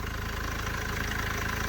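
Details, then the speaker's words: Mercedes W212 after timing chain job, cold start: fires promptly into steady idle with even, low clatter, no misses or knocks; starts and runs well. "If you remember, yesterday we were all good. So let's just turn the ignition on. The ignition is on. And there we go. Cold start. Perfect. Oh yes. I like it, I like it."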